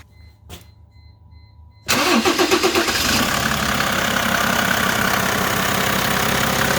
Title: Screeching noise coming from my om 606